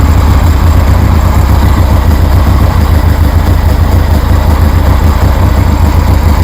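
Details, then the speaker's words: 1973 Harley Sportster with new knockoff Chinese CV40 carburetor, warm, no choke: deep, steady, loping V-twin idle with no stumbles or pops; healthy idle. "Anyways, you can see it's running real good."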